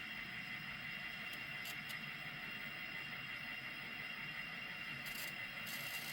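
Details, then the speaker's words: N-scale model BNSF train coming down a layout helix, with a steady, gritty, high-pitched grinding under the rolling noise from one locomotive's drive; the owner says that engine needs cleaning, but the cause is unconfirmed. "I do need to clean the one engine you can hear it kind of grinding but same thing I don't know how I want to fix that"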